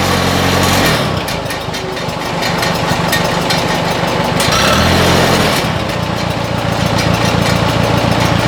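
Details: 1957 Oliver OC-3 track loader engine after fitting a new muffler and exhaust: steady chuffing beat about three and a half pulses a second, fairly soft exhaust; normal idle.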